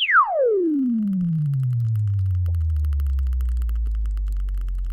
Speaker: in this case a speaker with some really obvious loose particles it's a solder bead inside the voice callil we P we picked a particularly bad one so it would be easy to hear